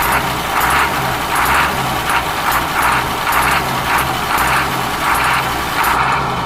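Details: Ashok Leyland bus diesel engine idling after cold start following many years unused: steady low throb with a rhythmic air hiss pulsing over it, running evenly with no knock; normal idle.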